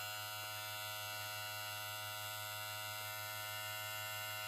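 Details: Moozie HG 1901 hair clipper, freshly unboxed and charged, running: steady high-pitched electric buzz with an even hum underneath, no rattles or speed wobble; clipper motor running smoothly and healthy.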